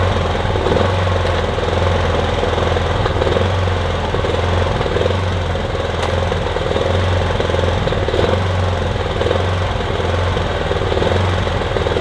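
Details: Kipor Sinemaster IG2600 digital inverter generator, just over 2 kW, stored in a garage for years, running on choke after spray was put in; steady low drone with an uneven, lumpy beat; rough running, owner hopes it smooths out as it runs.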